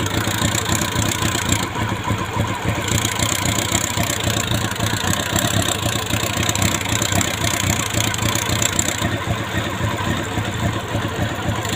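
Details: Honda CB400 PB1 motorcycle at idle: fast busy metallic engine rattle riding over the exhaust beat throughout; source not yet pinned down.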